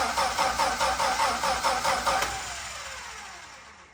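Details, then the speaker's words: Dodge D5N truck with 245 Hemi, first start after sitting 5 years, with new battery terminal, new fuel line and fuel poured down the lines: quick rhythmic cranking for about two seconds, then it dies away without catching firmly. "But... listen to that. That is just wonderful."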